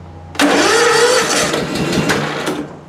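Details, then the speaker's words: Small engine cranked on a recovered weak 12V lead-acid battery after charging at 14.4 volts: slow but steady starter cranking for about two seconds, not tailing off; engine nearly fires but doesn't catch. "it's a slow crank but it's a crank well it I don't want to flood it so I'll choke it now and start it but it's it's holding speed it's not tailing off or"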